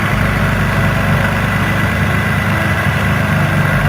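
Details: 2004 Infiniti G35X V6 that had P0300 misfires, suspected on cylinders 4 and 6: idles with a steady, even hum and no skips, running normally.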